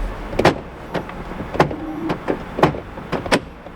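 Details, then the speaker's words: 2011 Kia Sorento LX power door lock actuators give short clunks as the switch is cycled; all doors lock, but only the driver's door unlocks. "Yep, the other three doors will lock, but they won't unlock."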